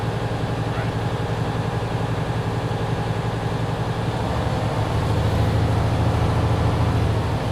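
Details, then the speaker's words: Diesel truck during CDL pre-trip air brake test, revved under 1500 rpm to speed air pressure build (85–100 psi in 45 seconds); even idle then smooth steady rise with no knocks or rattles; normal revving. "If you're going to rev it, do not over rev it 1500 RPMs. Keep it under 1500."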